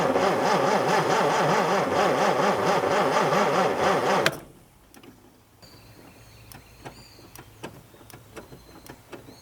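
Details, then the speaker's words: Mustang II Cobra that sat outside 27 years; the starter churns at an even two beats per second for about four seconds but it never fires. No spark even with a borrowed coil, and the distributor wires are chewed up, so a faulty distributor is suspected. "well unfortunately that didn't fix our problem and as i was looking and trying to figure out what was going on i noticed that the distributor has a bunch of really chewed up wires on it"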